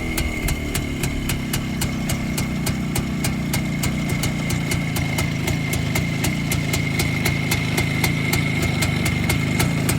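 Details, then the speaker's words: Restored Rajdoot two-stroke motorcycle, cylinder rebored with new piston, run in locally about a month, points converted to electronic ignition: even, steady idle with crisp regular exhaust pops about four a second, no knocking or misfires; healthy. "கம்ப்ளீட்டா electronic பண்ணி இருக்கோம் point செட்ல இருந்து. Start பண்றேன் exhaust note கேளுங்க."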